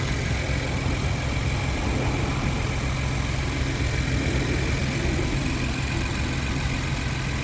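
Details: 2020-up Ford Bronco 2.7L at start-up after a catch can install: steady, even idle hum with a smooth low rumble, no knocks, ticks or misses; engine running normally.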